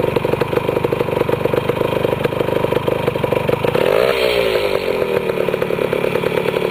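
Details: Restored 1973 Yamaha CT175 two-stroke with rebuilt carburetor, just started: crisp, rapid popping at steady idle with a brief blip near four seconds, then settling evenly; healthy engine.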